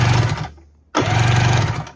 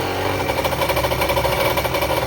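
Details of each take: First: 1994 Kawasaki 550SX stand-up jet ski, non-running, oil added to cylinders and battery hooked up: two even bursts of steady starter whirr, smooth turning rhythm, no catches or grinding; normal cranking, water box suspected cracked. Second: 1994 Kawasaki 550SX stand-up jet ski two-stroke, fired up after refitting the exhaust pipe and water box: blips up and drops back in uneven surges, then hangs at a ragged idle; it started dieseling, running on by itself.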